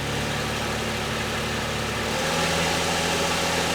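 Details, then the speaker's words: 2000 Lexus ES300 V6, bought with a dead transmission, idles well and revs freely in drive with no load; wheels not spinning, popping noise on shifting: automatic transmission not engaging. "Put it back into drive. Okay, neutral, drive. Let me see if the wheel's spinning. Do it again. It's definitely not doing anything."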